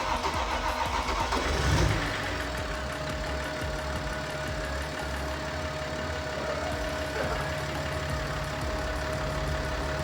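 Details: BMW X5 M50d diesel after engine rebuild and reinstall, started after reconnecting a loose glow plug module plug: brief crank catches at once, settling into a steady, even diesel idle with faint constant hum; healthy start.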